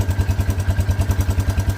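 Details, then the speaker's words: 1984 Honda Big Red four-wheeler after a new ignition coil was fitted, CDI connections checked: even single-cylinder thump at about eight beats a second with no misses; idling cleanly, old coil was bad. "Alright, well, let's see what happens. Sounds like we had a bad coil. Cool."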